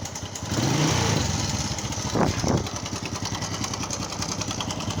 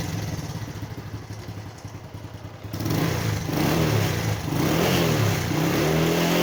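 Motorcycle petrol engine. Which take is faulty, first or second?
first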